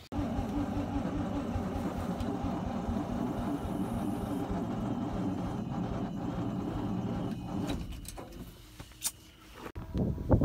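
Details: 1968 International C1100, first start attempt after about 36 years, with gas dumped in: rhythmic starter cranking about seven seconds, turning over evenly but never catching; cranks, no start, weak battery suspected.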